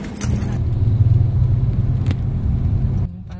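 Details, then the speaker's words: Honda Jazz road test after replacing both front shock mountings and nuts, which were loose and clunking on driver side over humps and potholes: steady low road rumble, no knocks or clunks; noise gone. "Pinalitan ko kaya Road test na kami ni customer kung nawala na ba yung lagutok nito sa ubang at sa hams"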